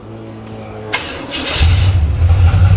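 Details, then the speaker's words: V8 restart after a short run: a brief crank and quick catch into a deep, lumpy idle, the easiest it has ever started; timing is to be backed off a touch, and it has a tight torque converter. "Start it again. I've never been able to start it that easy. Yeah. Ever."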